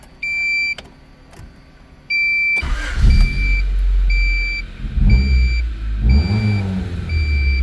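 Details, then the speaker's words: Barn-find Honda CRX Si just after the rotted 30-year-old exhaust was replaced with OEM Honda donor parts at a muffler shop: door chime, engine catches and revs in smooth blips with a deep, quiet exhaust and no rasp or drone. "Sounds pretty good. It won't give me a headache driving it now."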